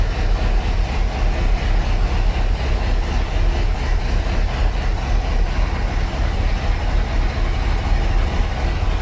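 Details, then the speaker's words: 1976 Ski Nautique boat engine, Pertronix D231801 distributor, first start, not yet warm (90°, thermostat closed), oil pressure 50 psi, tach about 1000 rpm: steady even low rumble; high idle with throttle cracked open as carb is off. "attack is reading a hundred Auto pressure is reading heavy 50 pounds oil pressure the attack is reading a thousand which is a little high"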